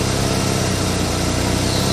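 Steady, even idle with a smooth low rumble and no puffing or ticking from the exhaust, sounds sealed and fine to drive.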